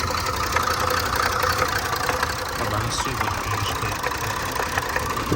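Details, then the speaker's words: Range Rover supercharged 400 V8 with misfire, fuel and cam codes, idling with oil cap off: mostly even but faint stumble persists; misfire attributed to fuel code, possible timing (pump/chain) issue suspected; engine settled when oil cap removed. "طبعا التفتفة لسه موجودة بحكم الكود حق البنزين اكيد، الا لو لا قدر الله في مشكلة في التقسيمة،"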